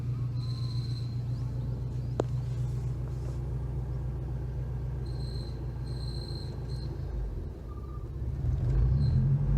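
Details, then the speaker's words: Subaru BRZ with newly installed hydraulic clutch release bearing: low engine rumble with thin high whine coming and going from clutch area; owner unsure if bearing or installation at fault. "[Music] got this happening now speaking that high-pitched whine now"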